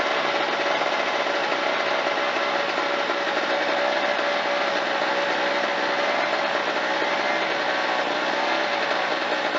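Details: Harbor Freight Tailgator 2-stroke generator, after repair for a no-start (carburetor debris, spark too weak to fire under compression), restarted on choke, holds a steady, even buzzing hum with no misses, surges or dropouts; runs normally.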